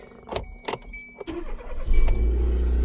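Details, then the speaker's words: 2015 Kia Soul 1.6 GDI after replacing the crankshaft position sensor, which caused a crank-no-start: key clicks, a short crank, then a clean start into a smooth, even idle. The fault is fixed. "All good. No more crank, no start."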